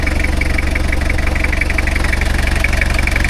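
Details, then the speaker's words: 1990 Toyota Hilux 2.4 diesel after servicing oil, gearbox and axles, briefly running rough until the fuel re-primed: settles into a steady, even idle with a smooth regular beat and no misses or knocks; normal diesel idle. "Ah, c'est bon, il a réamorcé. Ah, c'est bon, c'est dur là. Réamorcé. Parfait. tourne bien."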